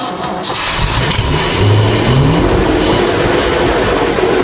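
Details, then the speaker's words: Old Ford engine after fitting a cheap aftermarket carburetor, no air filter, first start: catches, revs briefly with rising pitch, then settles to an even, slightly high idle running smoothly. "It's idling It's idling really well. Maybe high. Maybe a little high, but Hey, we like high."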